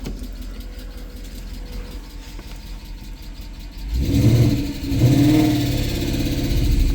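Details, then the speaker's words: Mercedes E63 AMG (M156) after sitting 8 months, warming up with a lifter tick audible: quiet idle, then revving turns rough and uneven near 1500 rpm, stumbling like cylinders cutting out; misfire around 1500 rpm. "I think you just got to get some heat in it, get some RPM in it. We'll just have to avoid 1500 RPM."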